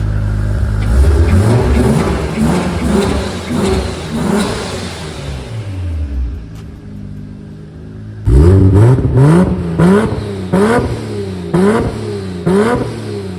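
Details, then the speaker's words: Big-turbo Supra on ECU Master Black Series, drive-by-wire, custom true 4-inch exhaust: sharp rev blips rising and falling cleanly with a short mid-clip pause, turbo whistle audible at the exhaust tip and singing up front; normal. "so as you can hear the exhaust sounds so good that exhaust that I fabbed up there the true 4 in all the way back you can hear a little bit of the whistle of the turbo at the back of the exhaust the front as you can hear the turbo singing it just sounds so good"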